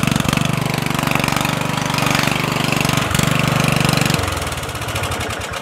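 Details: Murray 14.5hp 42" widebody LT lawn tractor after rewiring ignition switch and correcting miswired solenoid ground, lights on: quick start into steady single-cylinder thump about four beats a second, then clean key shutdown; healthy start and idle.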